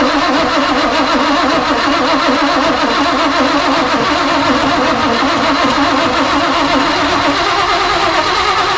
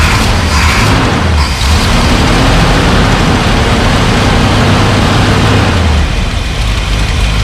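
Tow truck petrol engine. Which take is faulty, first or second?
second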